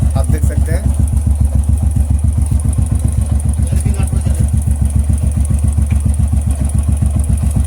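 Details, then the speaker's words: Royal Enfield Classic 350 after timing and pushrod servicing: steady, even single-cylinder thump at idle with a clean beat. The earlier tick-tick sound is completely gone; sounds healthy. "Perfect हो चुका है हम लोगों का बिल्कुल। अभी हम लोगों का बाइक साउंड बहुत अच्छा क्वालिटी हुआ, ठीक है दोस्तों।"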